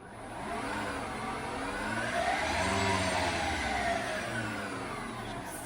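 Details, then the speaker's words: Mazda RX8 converted to electric drive: throttle blipped out of gear, motor whine climbs smoothly in pitch and falls away evenly, no grinding or clicks; normal electric motor rev. "And if I blip the throttle, not in gear. There we go. You can probably hear the motor as well."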